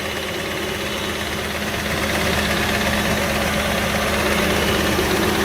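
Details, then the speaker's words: 2003 Jeep Liberty V6 idling, hard to start without some gas: steady knock of about three beats a second over an uneven misfiring run, barely running on four or five cylinders; bad motor to be swapped. "but as you can hear it is knocking it's barely running it's running on four cylinders or five cylinders right now it's a v6 and it is knocking pretty badly"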